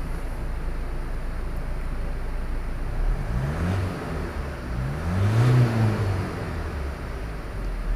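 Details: 2017 Ford Transit Custom 2.0 EcoBlue diesel after repairing a chafed harness wire that killed CAN communication and caused a no-start: starts cleanly, revs smoothly up and down, no misses or knocks; normal revving.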